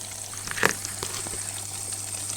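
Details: Whirlpool 6th Sense WIC3C26P dishwasher after flowmeter reed-switch repair clearing fault H: steady hiss of water filling the tub over low electrical hum, no beeping; normal water fill.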